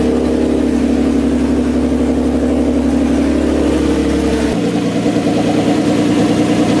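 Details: Drift car (G35 parts swapped in overnight), first startup after the all-night build, open downpipes, freshly filled fluids and charged battery: engine catches and settles into a steady, even run with a smooth low drone and no knocks or misses; normal running.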